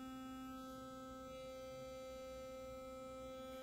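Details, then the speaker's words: Working Philips Sonicare toothbrush running: steady, even buzz at a fixed pitch, clean consistent vibration, unlike a malfunctioning unit's irregular vibration. "You hear it's a very clean, consistent vibration."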